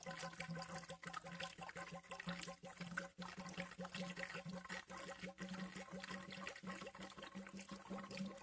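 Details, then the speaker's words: Peugeot 807 idling with the coolant cap open after a thermostat replacement and coolant refill from empty. Continuous watery gurgling and bubbling over a low idle hum. Air is in the cooling system and needs bleeding as it warms and the thermostat opens. "Hör ni hur det glubbar? Bubblar, gurglar. Hel del luftsystemet."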